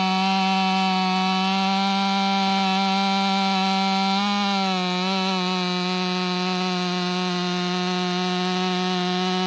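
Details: Ported Stihl MS500i (Empire Workshop) fitted with a MaxFlow Pro Series air filter screams at a steady high pitch through the cut, with only a slight dip under load; the saw pulls strong and clean and is healthy.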